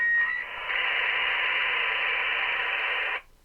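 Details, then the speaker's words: Retevis RT97s/Midland MXR10 GMRS repeater linked to a PC via a DB9 interface circuit: about three seconds of steady hiss after unkeying while the repeater hangs open, then a sudden cut; unwanted noise still to be fixed. "see it's working good except for I got to get rid of that noise when it when the repeater is still open right before it closes that com Port I gotta get rid of that noise"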